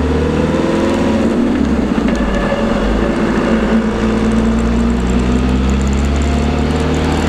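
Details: LT230 transfer case heard with sound proofing fitted: steady mid-pitched whine of constant pitch over road rumble at cruise, pointing to a whining transfer box.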